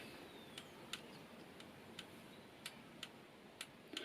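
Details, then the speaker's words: Motorcycle starter system bench demo with 12 V battery, ignition switched off: only sharp starter-button clicks, about eight in four seconds, no solenoid clunk; normal, the solenoid stays silent without ignition. "only clicking we hear is in this button here you don't hear any clicking from the start or solo note"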